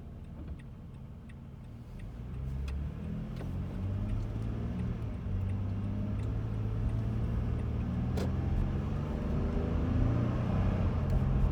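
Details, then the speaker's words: 2017 Toyota Sienna, nearly new, on highway with AC off and windows up: steady low roar and rushing hiss in cabin, sounding as if AC were on. Excessive wind noise. "you will hear the noise as if the AC is on and it's real excessive noise"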